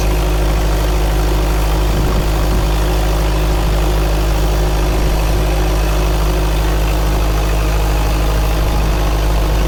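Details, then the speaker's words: Freshly rebuilt 1931 Ford Model A four-cylinder on water-brake dyno, load lightened so rpm rises, then loaded heavier by adding water; steady even low rumble, soft regular beat, no knocks or rattles; normal running. "I'm going to lighten it now. You'll hear the RPM going up, and then I'm going to load it up heavier. By letting more water into it, it works it harder."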